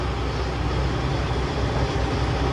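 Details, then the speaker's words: Truck with 10-speed manual transmission at idle in neutral: deep, uneven rattling growl that stops when the clutch is pressed; transmission found full of broken gear teeth and replaced with a rebuilt unit. "but it's like a rattling growling sound you mash the clutch in and the sound goes away"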